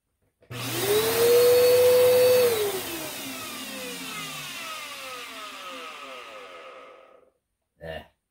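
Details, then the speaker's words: Bissell Powerforce Turbo 68C7 upright vacuum curb find with a rusty motor. It spins up to a steady high whine, then coasts down with rough whirring; the noise is worn motor bearings, not the brush roll bearings. "that's motor bearings so let's see how difficult it is or if it's even worth it to try to save this machine"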